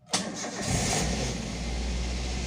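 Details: Toyota Avanza All New 2013 1300 cc: short crank after battery recharged 12 hours with a small motorcycle charger, catches at once and settles into smooth steady idle within a second; healthy start.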